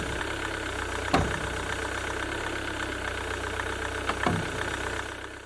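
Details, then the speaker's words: 2007 Jaguar X-Type 2.0 diesel idling while the steering turns lock to lock; two sharp, hollow knocks from the top of the front strut, suspected broken coil spring and failed top mount bearing. "suspect of broken spring for the sudden jittery Knocks and if it's a louder judder in binding our snapping feeling when you turn it it's liable to be the top bearing"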